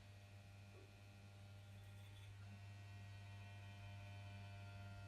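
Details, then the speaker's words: Bosch washing machine motor on variac at 20 volts AC, driving drum at 1:1 via belt: steady low electrical hum with no turning; motor stalled from low voltage, starts moving near 100 volts. "Let's bring it up to 20 volts. And I can hear the motor humming."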